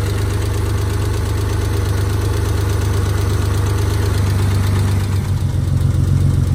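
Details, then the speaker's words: Mitsubishi Stealth at idle after lash adjuster replacement: a sharp, regular top-end tick about two or three times a second persists. Not a bottom-end knock; oil pressure is good. Owner hopes the lifters will pump up. "but it still got a pretty loud tick it's not a knocking me night like I said no the bottom and is solid great oil pressure it's still ticking right now"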